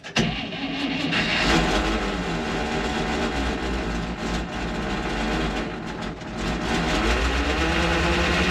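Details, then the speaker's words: Antique International tow truck, cold start at almost 60°F: rough rattly running with faint wavering gear whine; transmission noise, bad bearings or straight-cut gears suspected, not confirmed; engine itself runs well with oil pressure. "hey you may hear all that Ruckus down there but watch this sounds all nice and pretty and as soon as you so I don't know if the transmission's got bad bearings or if it's straight cut gears or what all that noise is but the motor runs phenomenal"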